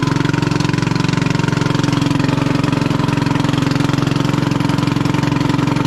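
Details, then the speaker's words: 1996 Craftsman LT1000 Turbo Cool lawn tractor, restarted months later after fouled flooded plug, chewed coil wire: loud raw blatting exhaust about three beats a second at idle, sounds muffler-less; cause muffler split in two, not head gasket; muffler replaced. "this thing is so loud it sounds like it doesn't have a muffler but it does"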